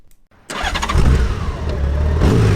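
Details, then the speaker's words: 2005 Honda GL1800 Gold Wing 30th Anniversary Edition starting up before a ride: brief starter whir, then it catches at once and settles into a smooth, even idle with no knocks or misfires; normal engine start. "And now it's time to start it up and take it for a ride."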